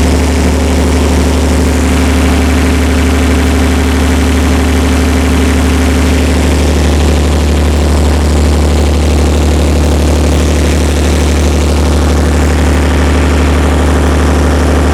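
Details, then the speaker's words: Perkins 354-series diesel on a 45 kW Empire generator, just started cold after injection pump reinstall: steady even low idle at about 50 Hz, no knocks or misses; making voltage, oil pressure fine, running normally. "we're running a bit slow that's fine down around well just about 50 hertz we'll give it a second get a little bit of heat in it"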